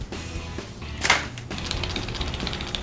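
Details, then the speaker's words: Stock tip-over switch from a Suzuki LTR450/Kawasaki KFX450 ATV, removed and shaken: quick metallic rattle of its loose internal ball bearing, which can cut the fuel pump in whoops; aftermarket solid unit has no ball. "you can actually hear the ball bearing. Now, you can imagine if you're going through a whoop section, this thing could possibly cut off fuel pressure to your bike."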